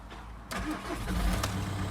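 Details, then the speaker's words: 1.9 diesel car with 67,000 on the clock, battery just connected, in neutral: brief crank and fires first time, settling into an even idle with no stumbling or knocking; healthy start, some dash lights on. "Started first time, guys. Absolutely first time. And that sounds amazing."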